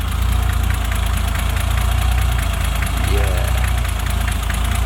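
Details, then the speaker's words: BMW E30 M20B25 turbo after a fuel pump fix, pump now quieter: a steady, even idle with light quick ticking and no stumbles or knocks. A normal idle. "okay so moment of truth let's turn it on okay the pump definitely sounds a lot quieter oh yes baby we're in business"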